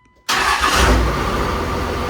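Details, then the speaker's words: 2002 Dodge Ram 2500 24v Cummins diesel after rebuild and valve adjustment: fires right off and settles into an even idle with normal diesel rattle, no excessive valve clatter; normal start and idle. "But anyway, this freaking runs fantastic. Fires right off, as you saw. Sounds good. I don't hear any excessive clatter, which means I probably adjusted the valves correctly."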